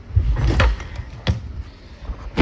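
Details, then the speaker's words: Three harsh, uneven metallic clunks on each pull-start of a Yamaha Big Bear 400 2WD of unknown year; something rattles and bangs inside, and a previous owner said it may need a top end. "something rattling and banging in there"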